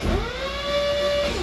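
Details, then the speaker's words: Normal starter cranking on a project car being finished with sidepipes, clutch pressed and neutral safety switch engaged: clean steady starter whine winding down, turning right over with no grinding. "So that thing's turning right over, no grinding, no nothing. So we're in really good shape here."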